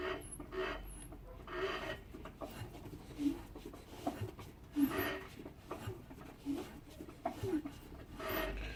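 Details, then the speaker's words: Rebuilt Trabant 26 hp engine after about 2,000 km, turned by hand in a quiet room: slow rasping scrapes about once per revolution. Knocks at standstill, not heard while driving; squeal attributed to alternator; cause unclear. "so ich möchte hier mal das motorgeräusch versuchen zu zeigen am regenerierten proband motor 26 ps nach circa 2.000 kilometern laufleistung mal schauen ob man es hört bei umdrehungen mit der hand"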